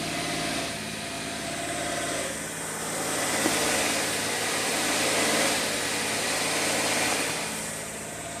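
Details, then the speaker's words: 2013 Mercedes ML350 V6, naturally aspirated, with timing codes for all four cams, extended cranking and a start-up rattle: idle rises and falls slowly on its own with no throttle; the surging coincides with an oil pressure warning, so an oiling issue is suspected. "if you can hear that surging that's not me with the idol it's doing it on its own"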